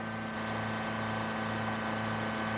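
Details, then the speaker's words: Project Suzuki Sidekick just fired up, still cold: a fast, steady idle estimated at about 3,500 RPM, well above normal, with no smoke so far. "sure be nice if it didn't idle quite that high I'm thinking we're about 3 500 RPM"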